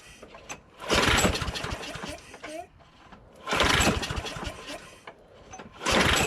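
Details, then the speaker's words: John Deere JS26 mower with a Briggs Quantum engine, after the carburetor was cleaned of gelled gas: surges and sputters in bursts roughly every two seconds and never settles. The owner suspects water remaining in the fuel system. "so it seems like there's some water that was still in there that's what it sounds like sounds like it seems like there's water in there"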